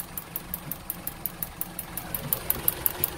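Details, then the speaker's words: 4-cylinder car running on LPG with STAG WC-03 injectors: sharp, fast, even ticking, about three per second, far louder than normal over a quiet idle. Engine jerked on acceleration and shook at idle; worn LPG injectors replaced with a new set. "one zawsze cykają wtryski od gazu ale nigdy za głośno nie cykał"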